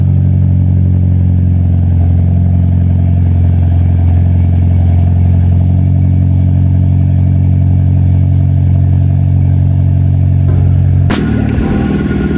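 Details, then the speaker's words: Evo X 4B11T, 2WD manual: loud, deep even drone at raised cold idle, steady firing with no knock or tick, then settling; healthy cold start. "Jom kita dengar dia punya cold start. Memang kuat."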